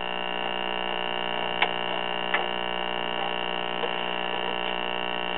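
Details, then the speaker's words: Late-1950s/1960 Arvin twin-speaker AM tube radio, just warmed up: a steady low buzzing hum with faint crackles and no reception; likely a bad electrolytic filter capacitor, which is being replaced. "let it warm up a minute it sounds like we have a bad electrolytic capacitor no surprise there"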